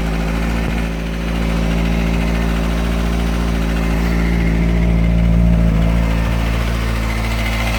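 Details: 2005 Kawasaki ZX-6R, newly bought, at idle: quick, fairly even light tick about four per second over the engine; previous owner said it's normal for Kawasaki, cause not pinned down.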